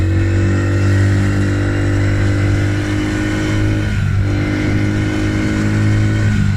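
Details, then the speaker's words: Polaris Outlaw 50cc quad after carb clean and blocked pilot jet cleared (previously overflow leak, no start), choke on lifting revs. Steady buzz, pitch climbing and dipping smoothly with throttle blips, no misses: normal running and revving. "I didn't have the choke on. I've just put the choke on there, that's why the revs have lifted."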